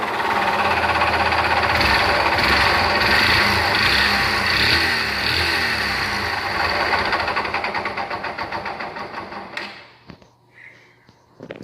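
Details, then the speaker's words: 2010 Yamaha Factor 125 at idle after hard dirt-road use: steady fast ticking knock about three per second over a busy idle, fading at shutdown; internal engine knock, owner suspects connecting rod, not confirmed. "Eu vou ligar aqui o motor, põe um motor em marcha lenta para vocês verem o barulho que tá fazendo, tá bom? Ela é partida elétrica. Aí, galera, esse aí é o barulho que ela tá apresentando."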